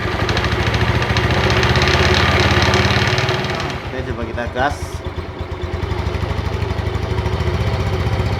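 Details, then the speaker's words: Yamaha Mio Sporty scooter idling after CVT repair: steady even beat with no rattle; the earlier ticking at low throttle came from a badly worn front pulley/roller housing and bushing. "oke ya suaranya Udah nggak ada ya hilang ya"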